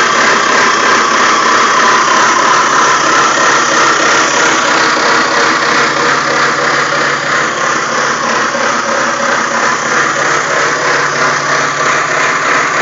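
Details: BMW E46 petrol engine idling: rough, gritty grinding with a faint squeal, varying with rpm and gone above 4,000 rpm; pulleys and belt recently changed; owner suspects alternator bearing, unconfirmed.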